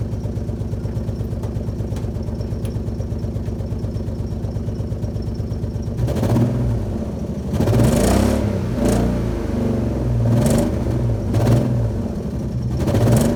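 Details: Alfa Romeo GTV V6, parked for a few months, started up and running rough: idle pulses stumble unevenly and throttle blips rise and fall raggedly instead of cleanly; owner suspects a misfire.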